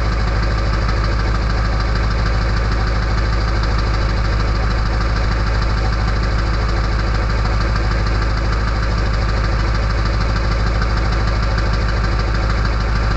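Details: Early 1999 Ford F-250 diesel cold start at 34°F on fast high idle, heard before the exhaust back pressure valve closes and whistles: loud, even, steady diesel clatter; normal cold-start idle.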